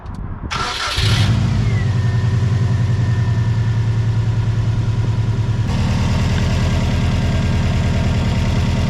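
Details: JDM Subaru STI EJ207 flat-four boxer just after oil, oil filter and fuel filter change: starter whirs briefly, engine catches at once and settles to steady even idle, no misses or knocks; normal start and idle.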